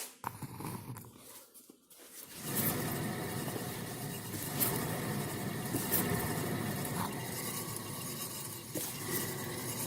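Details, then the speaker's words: 2017 Subaru Crosstrek at 15–20 mph: a low, steady rumbling growl that the customer reports getting louder, loudest around 40 mph; traced to a dry, noisy driver-side rear wheel bearing, which is then replaced as a hub assembly. "Driving 15 to 20 miles an hour, a little low rumble. Growl."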